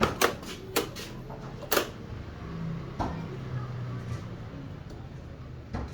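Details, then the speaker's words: Honda Click V2 scooter that won't start and shows only the blue panel, with dim lights and a weak horn. A voltmeter reads the battery fine. A few sharp, uneven clicks and no crank; owner suspects the battery. "siya agad nagre-respond tapos yan may maririnig kayong nag kirik Hindi ko alam kung ano tapos ayun iilaw siya mahihina mahina ilaw niya"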